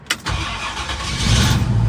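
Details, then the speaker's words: Classic Ford Cobra Jet V8 first cold start of the morning after starting mods, one throttle pump: short crank of about one second, then fires straight up to a strong steady idle. "look at that oh yeah there we go short crank one start that's exactly what you want"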